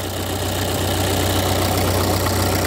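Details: 1997 Ford Escort 55 D diesel van, warm: steady diesel idle with even clatter, no missing beats, hunting or heavy knock; a healthy idle, not powerful but unburstable.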